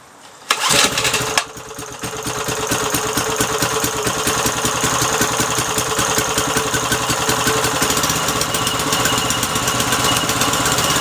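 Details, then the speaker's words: Briggs & Stratton 3.5 HP engine, little used, after freeing a jammed choke and fixing the carburettor: catches after a short pull and settles into a steady, even fast putter with no misses or knocks, running healthy. "it's killing you still me sounds good look get all Briggs & Stratton light it's Mikey she runs awesome beautiful"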